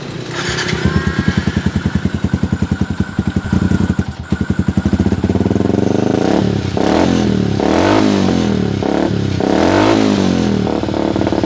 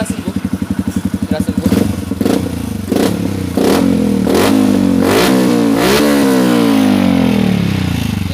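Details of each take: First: Yamaha Xabre fuel-injected motorcycle stumbling at idle and dying on slight throttle: uneven three to four pulses a second, ragged faltering revs; AFR above 16:1, lean; fix is cleaning injector, fuel pump filter and throttle body, broken O2 sensor wire also resoldered. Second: Yamaha motorcycle that had rough, stumbling low idle and stalled on throttle with a lean AFR. After cleaning the injector ultrasonically, the fuel filter and throttle body, and soldering a broken O2 sensor wire, it was warmed about 10 minutes to nearly 80°C. Idle is now even and it revs cleanly without misfire.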